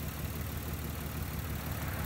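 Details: 1994-1999 Nissan Maxima at idle: lumpy, uneven chugging that skips a beat, misfiring as if a vacuum hose were off; loosening coil packs one at a time traced it to a failed ignition coil.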